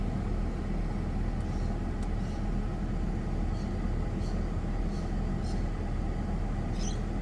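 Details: Ford FG2 Falcon after P2110 throttle-body code fix (suspected air leak or dirty throttle blade): even low idle rumble with aircon, radio and lights on, no hunting or dips, throttle rock steady at 14–15%; healthy idle under load.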